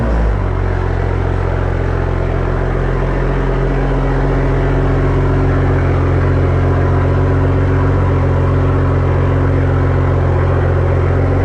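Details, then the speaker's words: Evo with Tomei exhaust and stock OEM downpipe reinstalled: catches quickly and settles into a deep, even idle with steady firing, no ticks, rattles or hunting; normal healthy cold start. "i'm gonna want to hear the startup with the tomi exhaust and stock downpipe"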